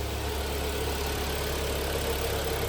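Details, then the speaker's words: Hyundai ix35 2012 G4KD petrol, 202,000 km, AWD automatic, after full rebuild with block sleeving for scuffed-piston knock, warming up: smooth, even idle with steady low hum, no knocks or ticks; normal idle. "Тихо, чинно, благородно."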